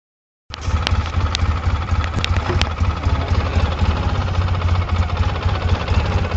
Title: Engine knock 2